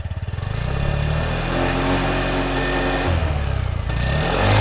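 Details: 2021 SYM Jet 14 125i single-cylinder scooter at 25,000 km, rated 74 dB, with a steady, even idle putter and no misses. The faint crackle on top is a loose license plate.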